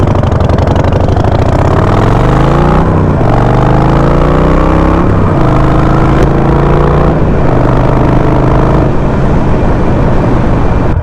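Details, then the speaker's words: Harley Sportster 48 V-twin running the Dynojet PV4 stage-one stock map: revs up and drops back with loud, crackly exhaust pops on deceleration, much louder than with the custom map tune; too rich on decel with the stock map. "it's not a big issue because uh when you're running the stock map it is popping a lot it's really loud and at least with my bike"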